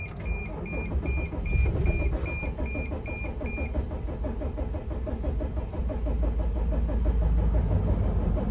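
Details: 2006 Dodge Sprinter, crankshaft position sensor fault blamed, restart after a 10-minute wait, shut off to re-read codes: chimes, then steady cranking about four beats a second, never fires. Crank no start.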